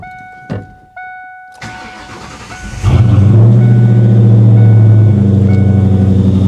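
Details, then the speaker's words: 1997 Mustang GT, 4.6 V8, 5-speed manual: chimes, then the starter cranks and it fires with a loud bark into a smooth, deep, even idle; exhaust praised. "Man, the exhaust on this thing is so good. It is so, so good."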